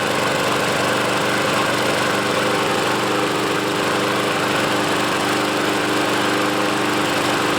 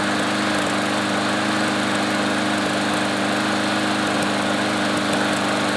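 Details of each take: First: Troy-Bilt walk-behind mower runs loud and uneven, its beat never settling; rough running, and the owner suspects the carburetor needs cleaning again. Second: Troy-Bilt mower after carburetor cleaning, fuel stabilizer added and self-propel cable lubed: holds a steady, even buzz at constant speed with no surging or misses; runs well.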